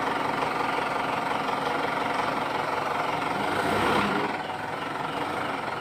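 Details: Mitsubishi Pajero that squeaked like a rat when shifting into gear, suspected at the propeller shaft cross joint; the joint was greased instead of replaced. Steady even running hum with no chirp or squeak from underneath after greasing; normal propeller shaft, no squeak.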